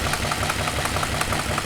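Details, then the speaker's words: Junker donor car with Flowmasters, started after sitting on a battery charger and possibly flooded: sharp, even ticking about five or six times a second over a steady idle, from an exhaust leak. The engine otherwise runs well. "oh yeah runs really good don't look like it's charging all right it's real good got the exhaust leak right there"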